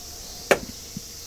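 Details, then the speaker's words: 1990 Honda Acty kei truck (Japan import): operating the door gives one sharp loud clunk then a couple of softer knocks; both doors make this sound, cause unknown. "The doors on both sides make that sound. I don't know what you can do to stop that."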